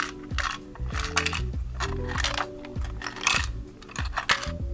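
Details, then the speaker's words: 1989 Tiger Electronics Double Dragon handheld game with rusty screws and missing screen sprites, shaken by hand: irregular light clicks and clatter like a small loose piece tumbling inside the case; cause unknown. "I don't know what that's all about I have no idea what could be happening inside there that's causing it to make this sound"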